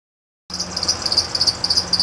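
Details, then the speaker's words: 2007 Honda Odyssey at idle: a sharp, high chirp repeats about seven times a second; owner first suspected idler, tensioner or power steering; found a bad tensioner pulley and a bad crank pulley (harmonic balancer), both replaced. "something chirping pretty bad that's very irritating I'm going to take a look at it I'm going to assume that it's either the idler pulley or the tensioner"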